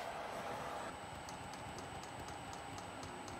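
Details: Vevor kit diesel air heater after error 10, battery dipping toward 13 V: faint steady ticking about four times a second from the dosing pump over a quiet hum while it tries and fails to light; owner suspects undervoltage, long fuel line needing priming.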